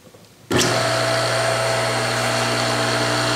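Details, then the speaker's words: Worn ball bearings in a 1.5 hp electric motor, heard on switch-on: a steady hum with a rough, gritty hiss over it, and the motor coasts down quickly after power-off; it is noisy and the bearings need replacing. "let's plug it in and see what it sounds like sound noisy and notice it doesn't spin very long"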